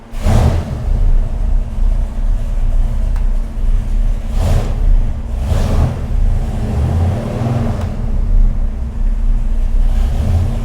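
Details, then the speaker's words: 489 cubic inch big block Chevy on dyno: roar surges and dips, breaking up near the top instead of pulling cleanly; high-rpm misfire, carburetor judged far too small, cause not confirmed. "There's no rev limiter anymore? Yeah, it cracked up. It cracked up again."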